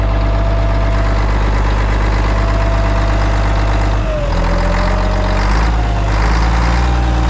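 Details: 1992 Kenworth diesel truck after start-up with 70 psi: deep, steady diesel rumble with a faint whistle on top, settling into an even, healthy idle.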